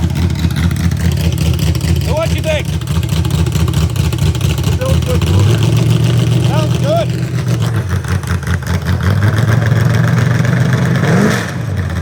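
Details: Real 1970 Corvette LT1 V8, rebuilt: deep burble with two clean revs that rise and fall smoothly, no ticks or knocks; healthy normal running and revving.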